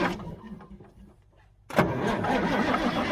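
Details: Mack R-model diesel truck, believed to be a 1977: steady starter churn at about four turns a second after a short pause, no firing or pickup; cranks but won't start.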